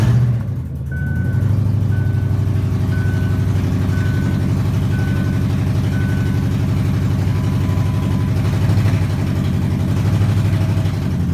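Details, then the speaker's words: Lincoln LS, 186,000 miles, cats cut off, coils rigged on plugs, low fuel, not run for 3–4 days: loud rough idle through open exhaust with uneven lope under a dash chime; at least one coil not firing, down a cylinder. "obviously as you hear it's running like there's no O2 sensors um I know at least one of those coils isn't making"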